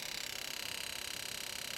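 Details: Injector test from an M4 engine management unit, engine off, primary injector number one: fast, even, light ticking repeating steadily; injector cycling cleanly and correctly.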